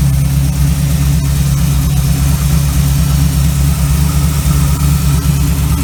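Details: 1936 Chevy coupe small-block 350 V8, running after a Holley 1850-2 carburetor rebuild: steady, even V8 beat with no misses, knocks or stumbles; the engine runs smooth and healthy.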